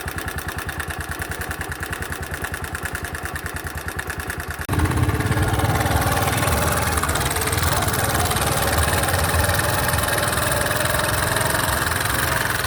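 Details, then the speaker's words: 2020 Bajaj Boxer X150 motorcycle at idle, before the engine was opened: a steady knock of about three beats a second that follows engine speed. It was later traced to a worn piston rubbing the cylinder walls (piston slap). "all right guys after leing at my mechanical friend we had to figure out on which could be the possible cause for the knocking sound from the engine"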